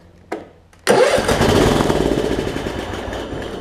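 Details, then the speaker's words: Craftsman LT1750 Kohler mower, first start attempt: couple of clicks, catches with a sharp bang, runs rough a few seconds, fades out; fuel starvation, fuel pump not delivering, possibly crud in the gas tank. "how about that so we have to figure out why the fuel pumps not pumping gas she could just be there's a bunch of crud in the gas tank"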